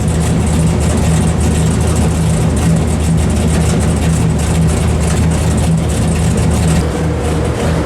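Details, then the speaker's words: 1973 Dodge Charger 451 stroker big-block Mopar (1976 400 block) with new Edelbrock Performer RPM aluminum heads and Sniper EFI on the dyno after repairs: loud, steady, even roar during a power pull under load, no knocks or misses, healthy and making more power. "Nothing against the modern cars. I love me some Coyotes, some Hellcats, LS's. I do. But there's something visceral that gets down in your soul about how the old stuff sounds."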